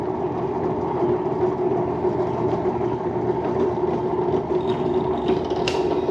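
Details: HDC DPMINI15 drill press, probably early 2000s, being revived, belt set to speed position three: steady even hum with a mid-pitched drone and light mechanical chatter, no knocks or squeal; runs normally, though the motor seemed somewhat anemic earlier.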